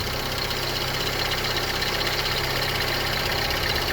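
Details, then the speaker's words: 2004 Suzuki Forenza with about 99,000 miles that had sat for a long time: at idle, a light, fast ticking over the steady run, quickening when the throttle is opened, from tired hydraulic lifters. "you'll hear a ticking it'll accelerate when you grab the engine and it's the lifters are not doing so hot"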